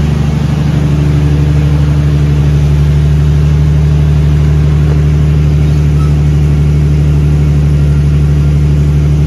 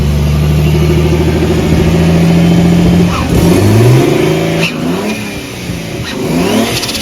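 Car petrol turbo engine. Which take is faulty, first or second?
second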